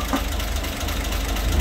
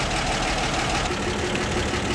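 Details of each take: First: 1960 Grumman Olson Kurbside step van at start-up after new belt, thermostat, radiator cap, coolant and tune-up parts: low, rough petrol idle with a loose metallic rattle from the valve cover, whose bolts need to be put back. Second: 1960 Grumman Olson Kurbside step van, first running in 29 years, after hoses, belts and tune-up: steady, even warm idle with light background rattle, thermostat just opened, generator charging; normal warm idle.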